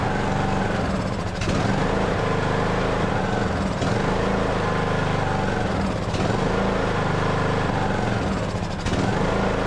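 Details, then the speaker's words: Craftsman LT2000 riding mower, sat for years, single-cylinder engine with Nikki carburetor: holds speed only on choke, sagging and recovering roughly every 2.5 seconds; will not run on its own, carburetor to be removed. "Will not run on its own."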